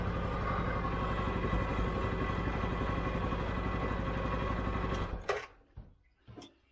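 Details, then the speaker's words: 2013 CFMOTO Z Force 6 after a fuel pump change, with 45 PSI and the filter primed but the tank probably low on fuel: even, steady beat at about four pulses a second with no misses, then it shuts down; healthy running. "Okay. Okay. There it is. It runs. Runs really good. We just gotta put some more fuel."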